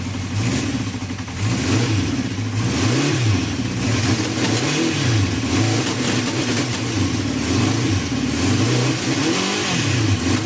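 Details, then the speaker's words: Honda CB350 four (four carbs), just cleaned and refitted, running without choke, before balancing, idle set just over 1,200 (spoken as "12200"). Revs blipped rise and fall unevenly with a slight stumble and splutter. Unbalanced carburettors. "so this is what it sounds like before balance and I've got the idle set to just over 12200"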